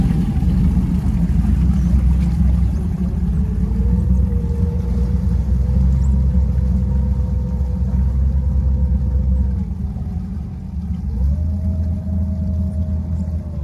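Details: Twin Crusader 350 marine engines in a Pacemaker 36 SF under way after fixing overheating caused by broken belts and a torn hose: steady deep drone with a smooth even beat and a faint tone rising and settling with throttle; running normally.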